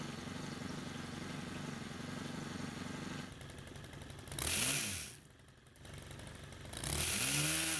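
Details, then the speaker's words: Stihl pole pruner after carburetor cleaning and repair (years of stored fuel caused no-run): low steady putter, then two clean quick revs rising and falling; picks up crisp and runs fine. "Well, as you just saw, it started without any issues and it works great."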